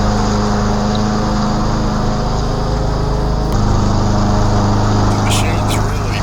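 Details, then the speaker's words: 2012 Yard Machines 11A-A54R729 mower, Briggs & Stratton 158cc 500 Series, new HIPA carburetor and tune-up kit; next day, cutting 4–5 inch thick tall growth, steady drone holding pitch without sag or stumble: strong, healthy under load. "This is a really good basic mower with good power. Some of this stuff was pretty thick and tall I was cutting through and it powered right through it and never really bogged down."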